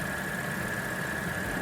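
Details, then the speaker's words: Audi S4 3.0T supercharged V6 just reassembled after walnut-blast valve cleaning, valve cover gasket, supercharger reinstall and coolant bleed, PCV and water pump done: steady even idle with faint supercharger whine, no knocks or misses, no leaks; normal idle. "but it runs I mean excited no leaks no leaks"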